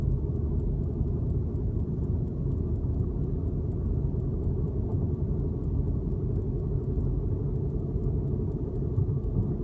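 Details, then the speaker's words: 2006 Lexus IS 350 cruising on a straight road: steady low rumble and drone from the left wheel, on braking and acceleration, persisting after the wheel bearing hub was replaced. The car also pulls right; source not pinned down. "But just got my wheel, the bearing hub replaced, but I still hear it. I don't know if you guys can hear that, both on the brake and acceleration."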